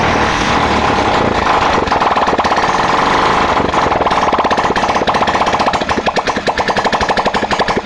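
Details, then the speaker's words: Hero Glamour 2018 motorcycle after fixing a hard-starting problem by replacing the carburetor: starter whirs, then the single catches and settles into an even steady idle putter. Starting problem solved, normal running. "Starting problem दूर हो चुकी है"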